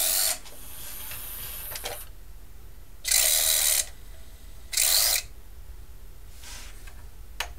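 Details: Sony CDP-X55ES ES CD player: short bursts of high, rough whirring as the disc speeds up and slows down; noisy spindle drive during spin-up and slow-down, cause not yet found.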